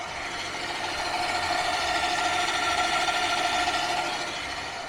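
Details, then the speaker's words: HPEVS AC50 electric motor from a delivery van, two years in service, running at only 1000 rpm: steady raspy whirr with a regular roughness about three times a second. The bearing is worn from years of use and is to be replaced. "a ese sonido lo está haciendo a mil revoluciones por minuto nada más"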